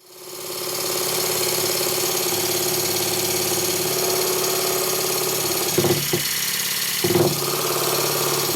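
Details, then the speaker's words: Stuart 10V steam engine after partial rebuild and valve timing adjustment, running on compressed air on a workbench that amplifies mechanical noise; fast even chuffing with light mechanical rattle; runs normally. "My workbench is a soundboard, so it amplifies any mechanical noise."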